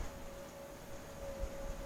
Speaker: hear that noise there that's the wind whistling through it and there's a there's a motor running there now at the minute changing they are